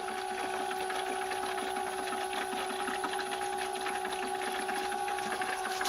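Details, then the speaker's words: Home-built 12V transfer pump in a fifth-wheel RV bay, run from a 12V 19Ah lithium battery, moving gray water into the blue: steady buzzing hum at a fixed pitch with light water chatter, no rattle or strain; the pump runs normally. "Okay, the way it's working right now is it's coming in from this pipe, which is most of the water from the gray pump. And it's being pumped into the blue, as you can see, the water in the bubbles."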